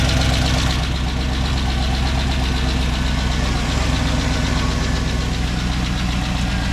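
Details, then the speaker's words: 2007 Chevy Tahoe with a rebuilt 5.3 and BTR Truck Torque cam, first start and idle. The V8 lumps with a quick steady tick of about four per second, probably from the exhaust crossover, while residue burns off; exhaust leak tick. "I hear kind of a tick oh that's probably just a crossover oh the crossover I can see flying out of the exhaust yeah I was hearing a little bit of an exhaust tick"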